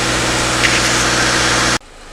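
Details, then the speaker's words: 2013 Subaru Impreza, first start after engine replacement with original harness reused, weak battery, cold and bleeding the cooling system: steady idle under a loud even hiss, no knocks or misses; normal idle. "that's what sounds pretty good uh right now still need to warm up pulling through bleeding right now so we'll see a little bit after maybe five minutes warm up okay"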